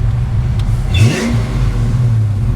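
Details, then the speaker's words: 1990 Ford Mustang 5.0 V8 track car, odometer showing 20,000 miles (possibly replaced): deep throaty rumble rising smoothly on throttle and falling back without misses or knocks, a healthy five-liter rev. "oh man that sounds good you can't ever beat the sound of a five liter that's unreal"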